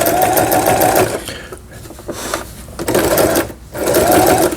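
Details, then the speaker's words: Toyota Simple 10 home sewing machine (2002), after repair of thread snapping, lever moved from bobbin winding back to sewing: quick, even stitching bursts with smooth mechanical whir, no knocking or catching; normal sewing. "바느질에 놔 줘야 됩니다네 소리가 잘된 걸 보실 수가 있어요"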